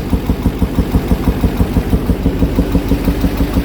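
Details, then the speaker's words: 2005 Duramax diesel idling after a recent head gasket job, with a sharp, regular pop about three times a second back through the intake, louder on the passenger side and in the air box, and seemingly missing; valve adjustment suspected, not confirmed. "It's popping back through the intake, making some noises in the top end."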